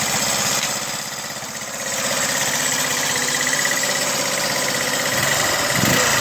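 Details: 2009 GY6 150cc four-stroke scooter with 900 miles, fixed after a trashed piston and seized rings: the single runs with a steady, even, buzzy beat and a slight blip near the end. Normal running.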